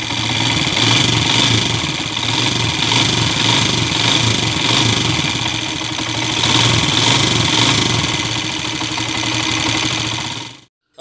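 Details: Honda TMX155 single-cylinder at idle as brought in before repair: hard, sharp metallic knock about four per second over a harsh clatter. Noise persisted after timing gear replacement; diagnosed as a worn connecting rod.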